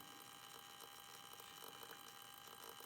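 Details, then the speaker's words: DC/DC converter from a 1988 Soleq Evcort electric car (108 V to 12 V, 400 Hz switch-mode) on bench supply: faint steady hum with irregular sharp crackles every second or so, from low in the centre. "but there's there's a noise in here it sounds a little bit like a sparking seems to be kind of down in the center there"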